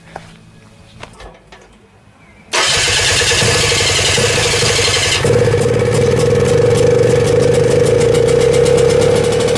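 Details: 1972 Rotax 340 two-stroke for a Tomberlin CrossFire go-kart, started after JB Weld patched a hole in the side of a port that was spewing gas, before the clutch is fitted. Near silence, then it catches at about 2.5 s into an even, buzzy, healthy run.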